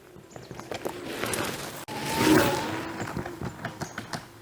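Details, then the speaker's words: KuKirin G2 electric scooter ridden over really rough terrain such as tree roots. Dull, irregular banging thuds come from the front suspension, not rattling; the cause is unknown. "there is a some banging noise that comes from suspension the noise is not rattling it's not annoying but it's just there"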